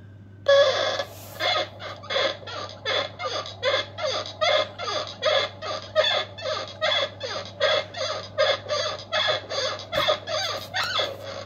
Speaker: this is a seriously squeaky door